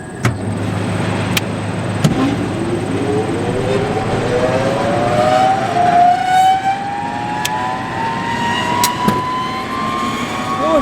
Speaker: Oh, it made a thump. Hopefully there's not a raccoon in there that got in the motor. Looks like it kicked in.